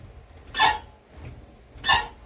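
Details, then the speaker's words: Project car: two short, harsh metallic scrapes, one with each clutch pedal stroke, as the clutch fork arm hits the exhaust headers and needs clearancing. The clutch also releases only near the floor. "I'm gonna have to clearance that. That's the fork arm on the clutch hitting the headers."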